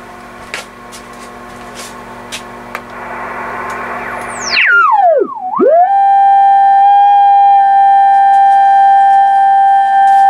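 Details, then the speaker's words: Yaesu FTDX 560 receiver after repairing a broken VFO wire, fed a generator test signal: a pure tone swoops down and up with the dial then holds steady, still heard at about -120 dBm. "That's about a minus 120 dBm, and it is still hearing the signal."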